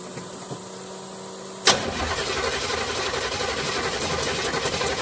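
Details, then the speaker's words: 1976 Olds 455 big block with 400 Turbo in Blazer/Suburban build, sat 155 days: after a sharp click the starter drags the engine slowly and unevenly, under three turns a second; weak battery nearly dead. "I'm surprised that thing's even cranking over battery's kind of weak sounds like it's about to die"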